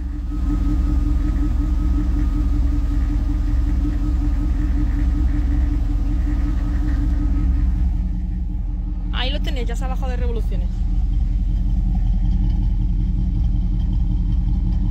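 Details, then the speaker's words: Chevrolet Camaro started after about two weeks sitting; slow to start at first, then settles into a deep, steady, even idle with low rumble, no knocks or misses; normal idle. "una vez que ya le hemos dado bien para que tuviese bien de comida ya ya está ya arrancado y suena muy bonito verdad"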